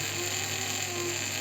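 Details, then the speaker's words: Janome 509 sewing machine, about 15 years old, squeaking and not sewing, partly disassembled: thin steady high-pitched scraping as the mechanism turns; something rubbing inside, source not yet found. "какой-то скрежет непонятный Я вроде его тримения уже туда подводил сначала показалось что где-то здесь скребет за край цепляет нет"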